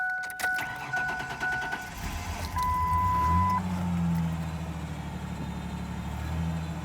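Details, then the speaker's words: 2000 Ford Ranger XLT pulled from a farm field after sitting a long time, on the third start attempt after the still-armed alarm was deactivated: alarm chirps, short crank, then it catches and settles into a steady, even idle. "Well, there you go. Yeah, I guess the alarm system was like still armed somehow. It's running really good though."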